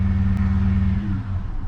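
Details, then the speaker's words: Manual Holden Commodore SS V8 on a lift, rear wheels up; idle sags and stumbles as if about to cut out, so revs must be held up; owner suspects a dead alternator giving no charge; engine stalling at idle. "yeah it just goes to shut off I think it's got no charge so I got to hold the revs up"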